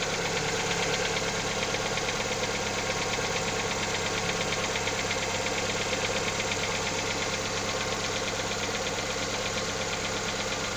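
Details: Lada Xray engine at cold idle: fast, fairly even ticking knock about three per second over the engine hum; owner asks what is knocking, source unidentified.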